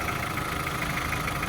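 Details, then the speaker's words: VW Caddy with swapped ABA engine after fire-damaged harness rewiring: smooth even idle, steady low hum, no misses, surging or shaking; running cleanly. "It's a nice quiet motor. Sounds great. It's not shaking all over the place."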